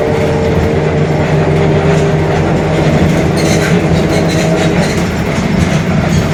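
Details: Mercedes-Benz OF-1721 Bluetec 5 extended urban bus, Mascarello GranVia Midi 2014 body, built 2021, underway: a steady low drone with a hum over road and cabin noise that holds its pitch, from a growling differential.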